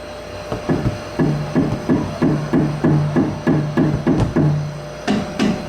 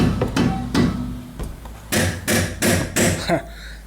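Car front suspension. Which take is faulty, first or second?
second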